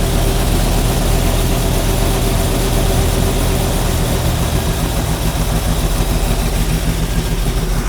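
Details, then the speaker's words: Stock 327 V8 with newly installed Edelbrock carburetor, mixture screws set on the economy side; deep, steady idle with even beat, no stumbles or hunting. Idle drops as screws turn in, then is backed out and regular idle adjusted. "There's the idle drop. So we're going to back it up. Do the same to this side. You hear the idle drop down. Now we're just going to adjust the regular idle."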